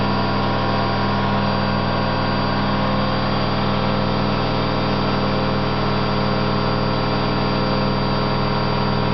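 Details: Candy GO4 127 DF washing machine in fast spin: constant deep droning rumble without knocking from worn drum bearings, loud but not yet badly failed.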